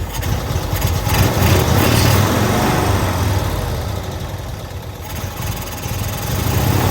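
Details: 1992-ish Cushman Truckster from a field, first run after revival: engine catches and idles as a low, steady thrum with even firing pulses; normal idle, kill switch apparently not hooked up so it ran until out of fuel.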